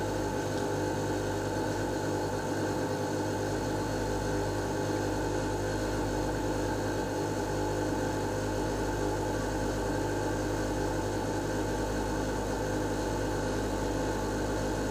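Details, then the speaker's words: Lennox Pulse21 furnace (installed 1993) after repaired control board: inducer fan's steady even hum and low drone, no knocks or rattles, purging old gas before blower motor kicks in; normal startup. "this part always takes a little bit before the blower motor kicks in it's got to evacuate all the other old gas and everything out of the system"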